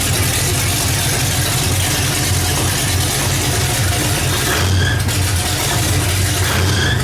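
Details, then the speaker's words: Oldsmobile Cutlass after engine swap, coil wired directly from battery, briefly run without antifreeze; loud heavy V8 idle with uneven lumpy beat and occasional dips; missing at idle, owner suspects the wires. "so there's something firing right though still what i'm like it's missing still check those wires again"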